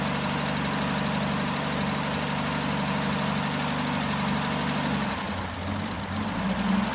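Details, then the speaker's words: Jeep J10 after carburetor rebuild, about two gallons fuel, has oil pressure and charging voltage; steady low rumble at even idle with no misses or knocks, oil burning off, suspected valve cover gasket leak. "Um but you know, it's running. got old pressure. It's actually building some voltage, which is good. Um, so yeah, it's uh let it run here in a minute. See if it'll just kind of keep purring."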